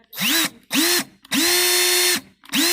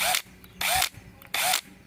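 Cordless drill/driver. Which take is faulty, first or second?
second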